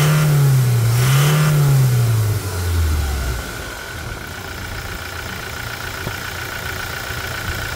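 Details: 2020 Toyota Hilux single-cab diesel, hard-used, with fresh oil after a suspension, brake and steering box/pump service: revs up, holds, then drops to a steady low idle with an even beat, no knocks or rattles; normal start and rev.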